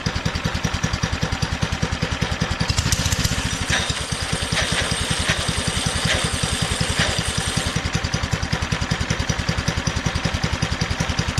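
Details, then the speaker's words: Doodle Bug DB30 minibike, old and gunky, just fitted with a new carburetor after running rough: small single thumps at a loping, wandering idle that surges slightly; the owner thinks it may be too rich and need a carb adjustment. "it might need a carb adjustment I have no idea I just slapped the new carbon so I really know what I'm doing"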